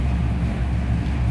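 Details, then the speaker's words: 1962 Impala restomod, rebuilt 454 4-barrel 410 hp big-block V8, headers, dual exhaust: deep steady rumble with even beat at 960 rpm idle, no ticks or misses; oil pressure 85 psi, temperature 98, 14.4 volts; healthy. "That sound is awesome. Oil pressure is 85 pounds at an idle, and temperature gauge is working too."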